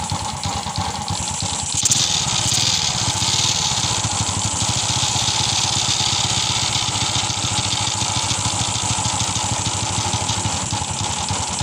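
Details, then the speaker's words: Honda XRM125 motorcycle engine idling before overhaul: loud, uneven metallic clatter, a connecting-rod knock with worn clutch-shoe rattle. "So anan mga kaas Kung naririnig niyo sobrang ingay ng kanyang makina"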